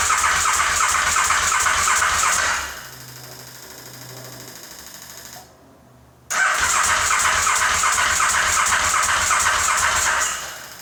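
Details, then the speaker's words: KTM 950 SM on car battery, gravity-fed fuel, starting fluid sprayed into carb inlets: two long spells of steady cranking about three beats a second, no firing; cranks no start, owner suspects ignition or fuel delivery, spark confirmed. "Nothing. So it might be ignition or throw."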